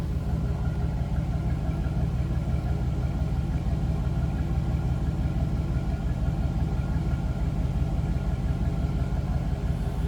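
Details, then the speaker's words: Deep, smooth, steady V8 burble with no ticks, knocks or misfires: 2003 Chevrolet SSR roadster pickup, 5.3-litre V8, automatic with overdrive, 314 actual miles, healthy stock-sounding idle. "Nice sounding truck. Sounds stock to me."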